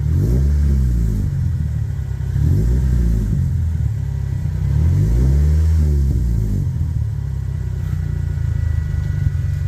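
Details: 1998 Toyota Celica GT ST202 after tightening the exhaust clamps: three clean rev blips rise and fall smoothly with no puffing or ticking. The exhaust sounds sealed and healthy.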